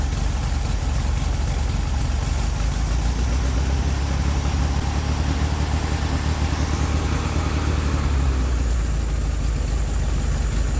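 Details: 1969 VW Beetle air-cooled four after a modified coil was fitted: continuous, fairly even low chug and steady idle, though a miss is mentioned afterward; running again.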